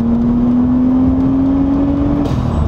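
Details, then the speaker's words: Nissan Skyline (RB turbo engine, Japan import) at full-throttle acceleration after new spark plugs, on premium fuel: smooth, steadily rising pull with no stutter, where before the plug change it broke up under full throttle. "so I'm going to floor one time for the boys because before it would break up and now that I've done the spark plugs it doesn't break up at all"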